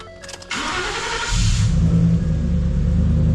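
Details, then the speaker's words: 2014 Ford F-150 after refitting OEM Motorcraft coils and reseating two loose coil connectors (one on cylinder 6): short crank, catches without throttle, settles to steady idle; normal start, slight misfire still suspected. "you can see it's cranking right up now without me having hit the gas so it's off to a good [Music] start"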